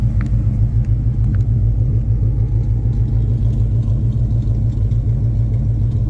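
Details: 2000 Ford Explorer 302 5.0 V8 AWD idling: deep steady rumble with a loose uneven pulse about three times a second over the idle; recorded for troubleshooting, source unclear.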